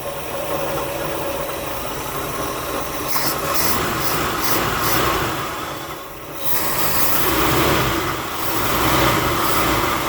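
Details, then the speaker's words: Buick Skylark with a freshly rebuilt carburetor, fed from a gas can because of 30-year-old tank gas and leaking fuel lines: an even, steady, purring idle that holds speed without stumbles or misses. Normal idle, though fuel lines are still leaking. "sounds good doesn't it all right quieting down it's actually idling carburetors are really not that hard to rebuild everybody's just afraid of them see that it's just purring"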